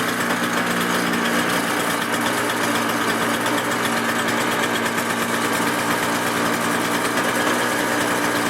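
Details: Toro CCR 2000 snow blower two-stroke, started with choke after priming for season: steady high even buzz, no misses or surging; normal running.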